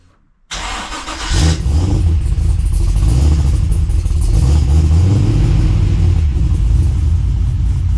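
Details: Holden VX SS Commodore with a fully rebuilt engine and transmission, big cam and new exhaust, first start before its first drive: quick crank, fires straight away and settles into a loud, lumpy, loping idle; runs fine.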